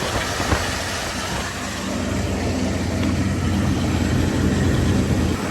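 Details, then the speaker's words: 1996 Ford V8 truck with 300,000 miles, just after plugging back in a timing jumper connector: it revs up, then settles into a steady, even idle with a low rumble and no stumble. It runs smoother and seems to have picked up a cylinder or two. "I mean, it went up and then it idled down, so seems like it's running smoother. I also want to say it picked up a cylinder or two."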